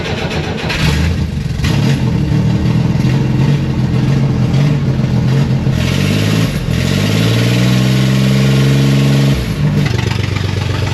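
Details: Rear-engine car that ran out of gas, restarted with a jump-starter pack after cranking to draw fuel through an eight-foot line from the front tank. It runs, rising and falling through clean revs without misfiring: normal running.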